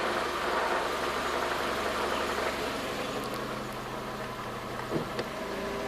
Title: W202 c180 timing chain noise